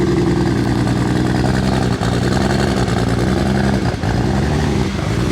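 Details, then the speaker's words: MK4 Toyota Supra with big 272 cams, now running on all six cylinders after an earlier five-cylinder startup: deep, loud, even burble with slight cam lope; healthy idle. "right so I may have had five cylinders on our last startup but with six cylinders it still sounds pretty dang good"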